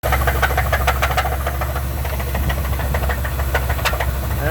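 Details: Truck engine with suspected rod knock: steady low running with irregular sharp knocks about three per second clattering over idle; owner plans a shop visit, unconfirmed.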